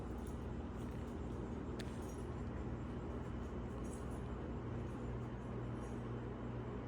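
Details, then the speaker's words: Hampton Bay 52-inch four-blade air-cooled ceiling fan, 153 mm motor, on high at about 220 RPM after WD-40 on the bearings and several hours of running: steady even whoosh, bearing noise all but gone, strong airflow. "Not much at all in the way of bearing noise anymore. And it's putting out a great amount of air."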